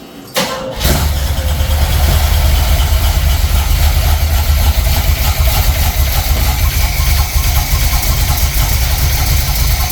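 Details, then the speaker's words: 1976 Corvette C3 L48 350 small-block, first start after refresh and reinstall with electric fuel pump: catches after a short crank and settles into a heavy uneven low rumble; ignition timing is off and needs adjusting. "timing's off I don't know which way to go with it like that maybe try like that we're going to have to do the timing"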